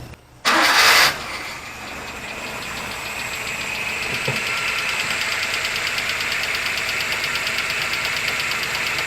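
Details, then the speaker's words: Hijet S83P mini truck just after a valve adjustment, with its thermostatic choke stuck closed: catches, then settles into a fast idle that keeps creeping up; high idle, mixture or choke suspected. "just just adjusted the valves and this must be mixture pretty high idle"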